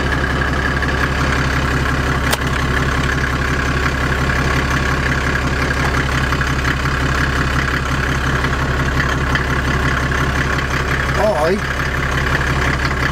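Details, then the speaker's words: Land Rover Defender with OM606 six-cylinder diesel and automatic conversion, after the gearbox fault was fixed: steady, even diesel idle through reverse, neutral and drive, with the earlier ticking gone. Normal idle. "can't hear that ticket reverse neutral drive so that obviously was a success"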